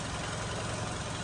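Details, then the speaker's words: 2008 VW Golf 5 1.6 MPI petrol/LPG, 167,000 km, belt changed at 126,000, fresh January 2024 battery: idling on gas quietly and evenly, no misfiring, no smoke, compression present, factory seals not leaking; steady beat, no knocks; normal idle. "Мотор працює тихо рівно не троїть не димить компресія есть несінить плотнитель заводський"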